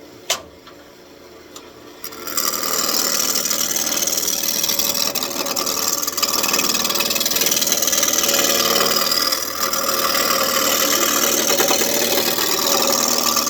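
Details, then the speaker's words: Turning a walnut wizard wand blank on a wood lathe: hissy scraping pulses about three times a second as the tool touches only the high spots, so the blank is not yet round. "you hear that? That means we're not round yet. Okay, we're round here. Not here."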